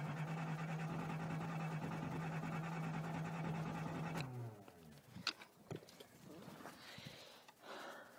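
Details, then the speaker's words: Nissan 280ZX turbo, started with a screwdriver (no key): about four seconds of fast cranking with only faint catches. Won't start; injectors believed clogged. "but with clogged injectors it's about all I can get out of it is just a little"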